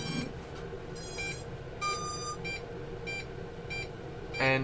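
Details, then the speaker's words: Bugs 3 quadcopter version 1 powered with a version 2 transmitter; short high beeps repeat about every half second without stopping, lights blink intermittently; quad not bound to the transmitter, signal intermittent. "And you hear it just constantly beeping, so there's no way I would start the props because it would just take off or do something crazy where it's intermittent signals like that."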